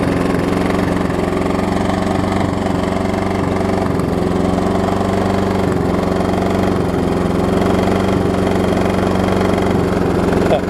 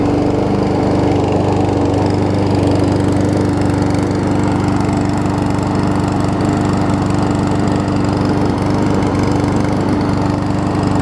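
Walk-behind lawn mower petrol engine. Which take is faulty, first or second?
first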